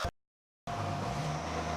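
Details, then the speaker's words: Jeep CJ7 build after reconnecting two unplugged ignition-wiring plugs found on top of the steering column: engine now runs with a steady, even hum and no misses; normal running. "So I plugged them in, and yeah, here's what it sounds like now. Boom! It works with the ignition wire."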